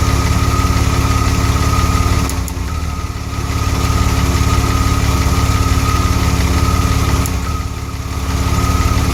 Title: DeLorean: An occasional misfire